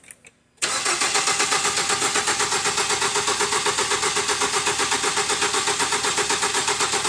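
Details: 2007 Ford Fusion no-start, new battery and starter fitted, all coils unplugged for a relative compression test with amp clamp and scope: steady, even cranking about four beats a second with no firing; checking whether the engine is out of time.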